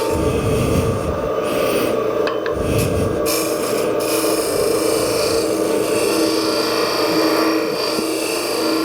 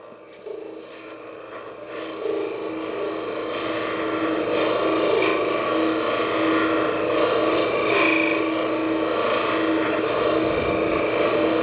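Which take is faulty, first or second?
first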